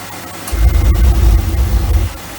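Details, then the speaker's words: QWasher Q Service van-build pressure washer's Mazzoni boiler test-fired on 240 V from an extension cord, thermostat set to 60 degrees: deep roar comes in abruptly, holds about 1.5 seconds, then cuts off; burner lights and fires cleanly, normal. "just to test the boiler to make sure everything's working okay. So when we get water running through it, through the pressure water and everything else, that noise will appear as well on the system."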